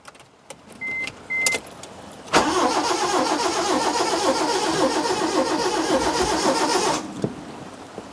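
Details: 2002 Proton Wira parked 12 years, on old fuel, about half a tank: steady starter churning, about four beats per second for nearly five seconds, never catching. Cause unconfirmed.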